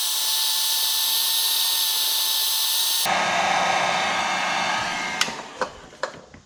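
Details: Dremel 4200 rotary tool with intermittent switch, after heat-shrink added to widen the plastic switch actuator; high, steady whine for about three seconds, then winds down with a few clicks, running evenly.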